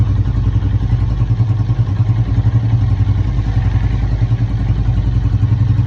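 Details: Motorcycle clutch noise: steady engine running with a loose, uneven rattle at roughly three to four per second, clutch clatter.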